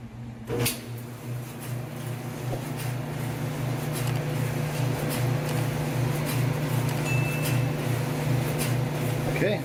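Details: GE electric dryer after broken belt and worn top-bearing drum slides replaced: even low hum with soft steady tumble, no squeal, thump or scrape; drum turning smoothly.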